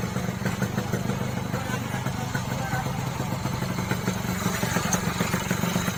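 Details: Yamaha RX King two-stroke after repair for heavy smoke (engine oil entering; crankshaft seal replaced, NPP piston fitted): crisp steady idle with regular firing, no misses or knocking; no longer smoking, smooth.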